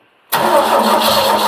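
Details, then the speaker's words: Mk1 Ford Capri 2.0 Pinto carbureted engine, rebuilt, first start with fuel poured into the carb, testing timing: quick catch into crisp steady idle, even mid-pitched drone, no misses; normal start. "And that, ladies and gentlemen, is why I love Pintos. Listen to that. Absolutely beautiful."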